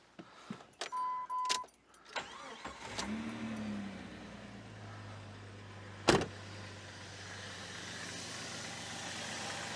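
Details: 2000 Jeep Grand Cherokee, first start after new spark plugs: brief cranking, then it catches and settles into a smooth even idle with a steady low hum and no misses; runs real good.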